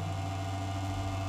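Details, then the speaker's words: Desktop computer (CPU) making a loud noise at power-on: a steady low hum with a higher whine on top. Touching a slightly loose connector inside the cabinet changes the sound, and the owner blames that loose connector for the loud humming. "मतलब मेरे से भी ऊपर जो problem मारी हुई है इस कनेक्टेड की वजह से है मेरे कंप्यूटर में जो कनेक्टर लगा ये थोड़ी सी ढीली है और आवाज़ यहां पर बढ़ चुकी है"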